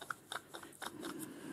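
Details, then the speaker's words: Morse taper lathe live centre, after rinsing: irregular dry crunching and clicking as the stiff bearing, which barely turns anymore, is forced round by hand; worn bearing full of debris. "can you hear that that bearing won't even turn anymore it's"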